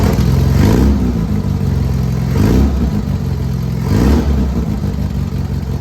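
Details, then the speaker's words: 1967 Volkswagen Beetle air-cooled flat-four after engine removal, new motor mounts, oil cooler o-rings and exhaust stud fix: even idle with gentle throttle swells, no knock or clatter; issue believed resolved. "everything seems to be fine with the car everything seems to be all right right with the motor I believe our issue is resolved"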